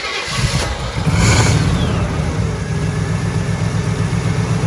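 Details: 1964 Chevelle Malibu after engine mount, fuel pump and starter replacement, started with dry fuel lines: a few seconds of steady even cranking, then it catches and settles into idle; starter working fine.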